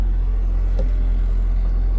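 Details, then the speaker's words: Toyota Matrix XRS petrol engine idling after start, no check engine lights: steady heavy low rumble with plenty of shaky vibration, no clear knock; owner says he located the vibration's source. "plenty of vibrations. I can hear it, and now I know where the vibration's coming from over here."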